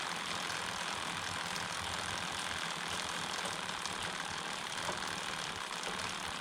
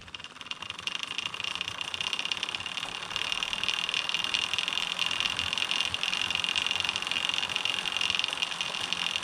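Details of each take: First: DIY carbon fiber recumbent bike, 39 front, 11 rear, mic one hand length away: soft even chain whir with no clicks; removing the chain keeper from the idler greatly reduced the noise. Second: DIY carbon-fiber recumbent bike with the HDPE chain keeper fitted on the idler: a steady, high-pitched buzzing whir from the chain, louder than it should be. Removing the keeper greatly reduced the noise.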